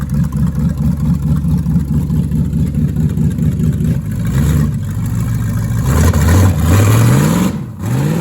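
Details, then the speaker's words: 1973 Plymouth Barracuda, hopped-up 360 V8, old carburetor after sitting: lumpy uneven idle, revs climb in hesitant surges with dips, low on transition; stumble on acceleration, rear accelerator pump suspected dead, fuel delivery. "I think the back to I think the rear accelerator pump shot."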